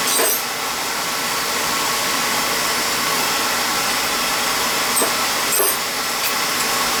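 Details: Beckett oil burner reported starting rough about 5 months after service, old ignition transformer from around 2000, running with a steady flame roar and constant airy hiss, no pulsing or rumble; starting nicely, spark still good.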